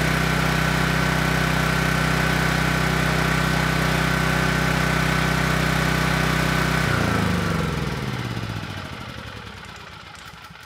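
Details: Generator PM0645500 with Yamaha MZ300 single-cylinder engine, running after no-output repair while GFCI tested: steady even drone, no knocks or misses, then clean shutdown and wind-down. Healthy running.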